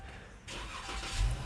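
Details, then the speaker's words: Dodge Charger towed in with no crank, no start, dead modules and CAN C/IHS bus down; with the suspect connector to the RF hub unplugged, power returns: short crank, engine catches cleanly and settles into a steady idle. "Yes, guys, I am powered. All right, in fact, I can start."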